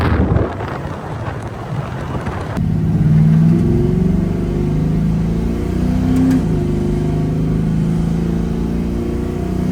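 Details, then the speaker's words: LS-swapped Holden HZ ute V8 after the windage tray, which was banging on the sump and sounding like bearing knock, was removed: smooth light rev with deep even burble, no knocking, engine sounds good. "And now that the crank's not hitting that, it's nice and sound. The engine actually sounds pretty good, and it's all pretty much ready to go."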